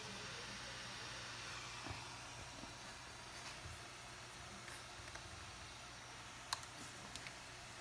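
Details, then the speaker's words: MacBook Pro 13-inch A1708, very slow: steady high airy whoosh that never rises or falls; fan runs flat out. "it is very slow and as you can hear the fan was too loud guys"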